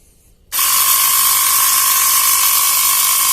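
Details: Portable 12 V tyre air pump (cigarette-lighter type) running on a 12 V battery after repair, with a new power wire and silicone spray in the cylinder. It kicks in with a steady, fast, high buzzing chatter at constant pitch, no knocking or stalling, and runs normally.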